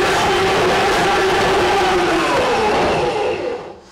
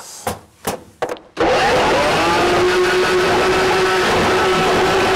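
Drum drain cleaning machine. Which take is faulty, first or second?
first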